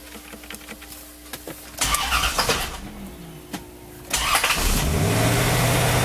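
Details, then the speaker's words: 1993 Chevrolet Corvette C4 350 LT1, starting with the hood up. Clicks and a brief odd whirring crank, then it catches and idles. The starter sometimes sounds like this and is suspected to have a minor issue. "I think a SP starter might have a little bit of a thing going on. It kind of sounds like that every once in a while when you start it"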